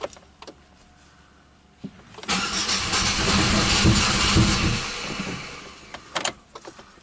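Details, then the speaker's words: 1997 Buick Century 3.1 V6 cranking with a pressure transducer in cylinder six and the ICM reconnected: it catches and roars unevenly for about two seconds, then falls away without starting; dead cylinder. "on um you know five cylinders out of six"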